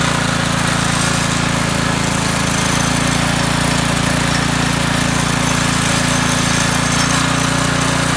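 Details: McClane 3.5 hp Briggs & Stratton edger that had sat for years, run after a carburetor tune-up: small single-cylinder engine holds a steady, even chatter at constant speed with no surging or stalling. Running normally.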